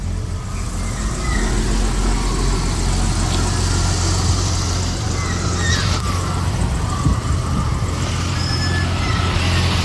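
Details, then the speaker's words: 1988 Jaguar Series 3 V12 on its second start in 7 years, running about 10 minutes, not yet warm, with the cold-start sensor disabled: a steady deep idle with a faint uneven beat; still missing on one bank; plugs and injector noid test planned. "still missing on this bank somewhere now first thing we'll be doing is plugs and just do a noid test on those injectors"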